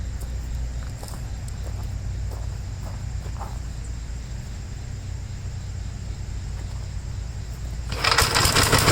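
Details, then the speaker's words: 1956 Gravely L after original carburetor parts were moved over: it no longer floods, but it still runs rough with a low, uneven, hunting single-cylinder thump of about 220 a minute. The owner wonders whether an earlier governor runaway to full throttle caused damage. "so I changed all that over from the original carburetor it doesn't leave gas anymore but it just still runs the same it's just I don't know why"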